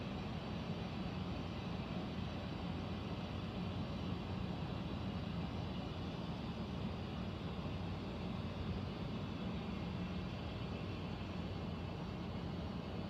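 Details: Central air conditioner indoor unit, apparently above the bedroom closet, making a constant low droning rumble with steady hum, no rhythm; owner questions a possible leak; unusual noise, cause unclear.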